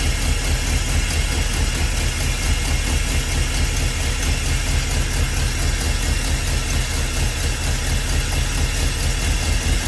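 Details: Big-block Ford 400 V8 swapped into a 1977 school bus, first start, timing advanced from too-low idle: steady, even idle with deep smooth lope, no misses, pops or knocks; normal idle.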